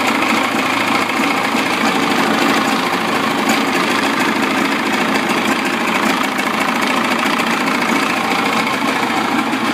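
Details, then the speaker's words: 55 hp Evinrude outboard running in water in a test tank after throttle cable adjustment: steady even two-stroke idle with no misses or surges, idling correctly. "perfect. So every time the engine's in the water and you hear the idle and it's idling, that's okay."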